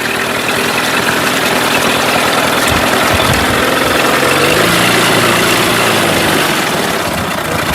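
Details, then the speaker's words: Mercury 8HP two-stroke outboard, sat unused for an unknown time, running in a water tub and cycled through forward, reverse and neutral; revs up smoothly, settles back, no misses or knocks; normal running. "this is more impressive a wow not bad at all quite impressed to be honest I didn't expect it to"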